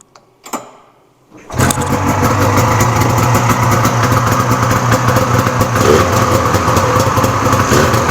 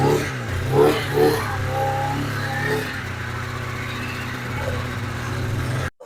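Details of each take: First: Cheap swap-meet Polaris Indy two-stroke snowmobile, started after a couple of pulls to fill the carb bowls: it catches and settles into a steady buzzing idle. Normal start and idle. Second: 1997 Polaris Indy 440 Touring two-stroke snowmobile, started after sitting a couple months, fires then hunts and stumbles, unable to hold steady revs; it likes running with the choke half on.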